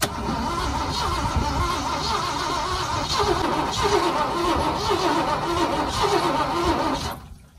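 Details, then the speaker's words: 1979 Ford V8 after running out of oil and overheating (oil pan very hot): steady labored cranking about four pulses a second with uneven firing, never catching; cylinders 1, 2 and 8 sound good, belt slipping; cranks but will not start. "Ну, не знаю, ребята. Она пытается. Пытается. По крайней мере, крутые биты послушаем."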